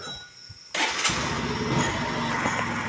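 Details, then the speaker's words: Bajaj CT 125X with new side-stand sensor, stand up: engine catches and settles into a steady, even idle and keeps running when shifted into gear (second); it cuts out only when the side stand is lowered. "Bike बंद नाही होणार। Gear पाडतो मी, gear पाडला, second गिअरवर आलेली आहे bike बंद नाही झाली।"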